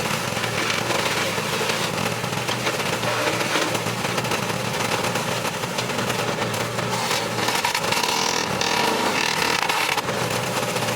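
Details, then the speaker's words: Craftsman wood chipper small engine after blade sharpening, feeding wood: labours at a low, dragging speed with a rough buzz, slower than it should run; owner suspects a spring left out when reassembling the carburetor, causing idle/rpm throttle issue. "as you can probably heard it was it wasn't running quite as fast it's probably what it should have been but it's not that big of a deal"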